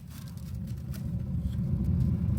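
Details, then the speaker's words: Jetmaster fireplace, paper lit inside flue first with damper plate fully open: deep, even roar swelling over a few seconds, strong draught through warming flue, normal. "And I'm going to light the paper. As you can hear it roaring."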